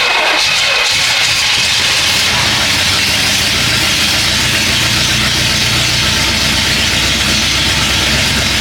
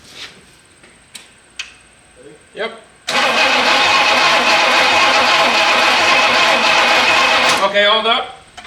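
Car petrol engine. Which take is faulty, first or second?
second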